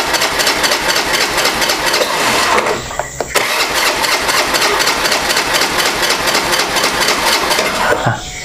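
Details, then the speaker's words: Motorcycle engine, hand-started after valve clearance work: it cranks and briefly catches with rough, uneven firing; it is still hard to start. "udah ada data-data hidup tapi hidupnya masih susah guys"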